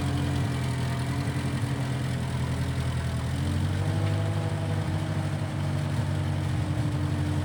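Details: 1955 Massey Ferguson MF65 tractor, in family 30+ years, restarted after sitting a couple years; carb cleaned, Marvel Schebler carb may need slight dialing in. Steady, even low thrum, smooth idle with slight mid swell; normal running.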